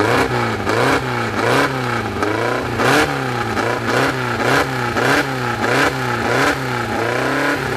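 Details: Newly assembled 2054 engine (Fusca) on its first start, idle set at 1200 rpm and kept high so parts seat in: quick, even rev blips with light gear whir; clean, healthy.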